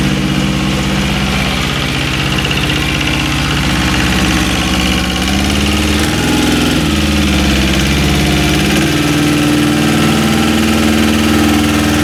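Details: Westwood lawn tractor with Ruggerini twin-cylinder air-cooled diesel, previously hydrolocked, after repair with new starter motor: steady idle with a brief rev that settles back to an even beat; runs smoothly and sounds healthy.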